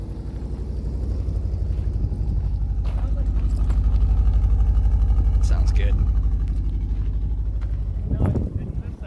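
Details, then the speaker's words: Subaru Forester boxer at idle with newly fitted unequal-length headers (broken head bolts welded, one bolt missing): a soft, steady puffing tick about four times a second over the low rumble. Small exhaust leak remains after sealing, much quieter than before. "we sealed it here's our check there's still a little leak it's what it sounds like but it's a lot quieter than it used to be"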